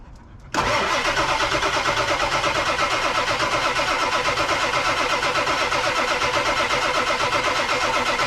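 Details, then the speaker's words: 1999 Ford F250 Super Duty 7.3 Powerstroke 4WD, off the road over six years, on a very cold start: steady fast cranking of about three beats a second on and on without firing while oil works to bleed air from the high-pressure oil lines. Extended cranking, no start. "of course it'll take forever to get those lines evacuated all the air bled out of them Friday passage for a 7-3 cold start real old start real cold start ancient start"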